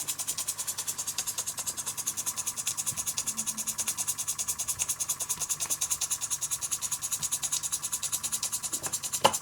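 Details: Small Enjomor vertical steam engine kit with spherical boiler, fire-heated: quick regular hissing chuffs, about two and a half a second, slowly easing off as it winds down; normal running.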